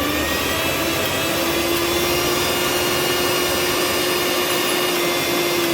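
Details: Mixer grinder after bush (bushing) replacement: steady high whirring hum, even pitch, no grinding or rattling; motor runs smoothly.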